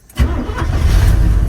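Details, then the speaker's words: Long-abandoned Chevy 1-ton tow truck pulled from the woods, running off a fuel can, with carburetor and idle mixture screws set and Thermocure in the coolant. It catches quickly and settles into a deep steady V8 rumble. "and fire it up pretty cool i got the carburetor set uh idle mixture screws and everything"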